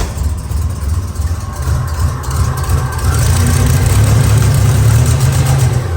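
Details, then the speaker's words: 1987 Buick Grand National turbo, 32,000 miles, abandoned 12–13 years, stock fuel pressure regulator refitted, computer connected: heavy, uneven rumble bogging and loading up as revs rise, running rich on too much fuel; back to square one. "Too much fuel, y'all. Well, back to square one."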